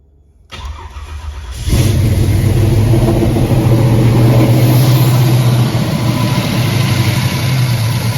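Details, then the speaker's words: 1986 Chevy Caprice big-block V8, first start after valve cover gasket replacement: brief starter crank, then steady, even idle with smooth low rumble and no knocks; sounds good. "[Music] Heat. Heat. [Music] I think it sounds pretty good."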